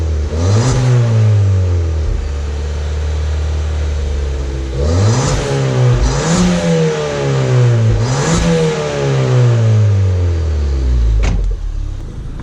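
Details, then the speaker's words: Crash-repaired Ford Fiesta ST, standard airbox, standard exhaust with Scorpion sport cat: repeated free-revving blips rising and falling cleanly with a faint turbo whistle and a bit of chuff; healthy. "So standard airbox. It's a little bit of a whistle, a bit of choo-choo."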